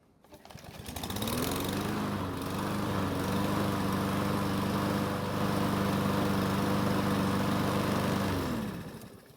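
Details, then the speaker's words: Yard Machines mower after repair, test run: small single-cylinder engine comes up to speed and holds a steady, even drone without the earlier surging, then shuts down cleanly; normal running. "so it started up just fine and ran without the surging from before"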